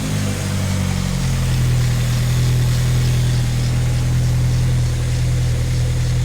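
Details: 1985 Dodge Omni GLH Turbo, Chrysler turbo four-cylinder with aftermarket PCM boost tune, running in neutral inside the shop: steady, even low idle, smooth unchanging beat, no knocks or misses; healthy idle.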